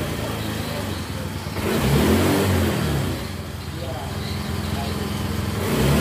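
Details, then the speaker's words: Yamaha Mio J scooter after fixing lost compression without replacing the piston ring set: picks up cleanly when blipped, drops back to steady even idle with firm pulses; compression restored, running healthy. "Aduh, hidupnya motor ini enak apa enggak. Nah jelas ini kompresi sudah padat."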